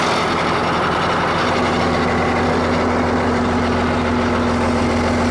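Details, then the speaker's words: Ford 8600 diesel tractor at idle, after being left running: rough grinding hum with a thin rising whine from under the floor. "That little bit I left it running, there's a horrendous noise coming out from under the floor now."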